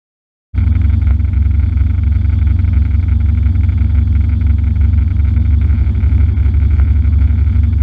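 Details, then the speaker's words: Trans Am V8 in a drag-strip time run after lifter replacement, held at high rpm; rough choppy running as it repeatedly cuts out at the top end around 6800 rpm; cause unknown. "i used it to see if the if the car was going to cut out at the higher rpms like it's been doing and it did as you'll hear over and over in this video"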